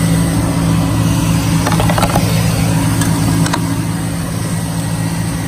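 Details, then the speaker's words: 2003 Chevy Silverado 1500 with a no-crank, no-start fault, now running after a hack wiring the starter relay pin 87 to positive: a steady, even low idle with a few clicks. Normal idle. "you're good to go as you can see that's the way you can kinda hack it to get it to start if yours has an issue possibly with some faulty wiring"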